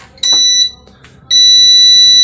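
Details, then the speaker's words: Repaired UPS switched on running on battery only, not plugged into mains; lights on, short high beep, pause, longer steady beep at same pitch, showing circuit is good; normal startup. "Nah, sobat-sobat, seperti ini ya, lampunya langsung nyala, kemudian terdengar beep ya. Nah, itu menandakan kondisi UPS-nya atau rangkaian UPS-nya bagus ya."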